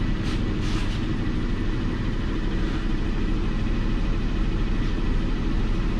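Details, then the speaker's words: Lincoln MKT (2005 per title) at idle: rough uneven lumpy rumble, with the power balance test showing cylinder 5 not contributing at all; a rubbed-through wire was found in the ignition coil circuit. "number five is a cylinder that is not contributing at all"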